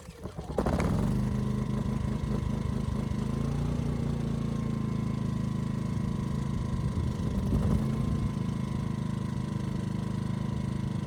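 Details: Ryobi RYI2300 inverter generator after adjusting the easy-start knob, previously not turned enough: catches, briefly bogs as load comes on, then settles into a steady even drone; stalling solved, normal running under load.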